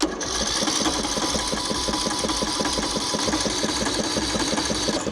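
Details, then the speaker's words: Craftsman LT3000 riding mower, Briggs & Stratton single-cylinder engine, after carburetor work, new filter screen and fuel flow checked: quick, even starter chugging with no firing, choke left off; cranks without starting, then runs once choked. "Oh, I forgot to choke it. Yes! Oh yeah, I'm happy. Happy to have that thing running."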